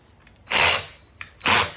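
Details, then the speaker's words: 1969 Johnson Sea Horse 1.5 hp outboard that had not run in years, spun over with the spark plug out: harsh gritty rasping bursts with a lot of resistance from the lower end. Crunchy grinding; sand in the lower end is suspected. "See if I can spin it over by Oh, that is crunchy. There's a lot of resistance considering the spark plug is out. And it's coming from the lower end."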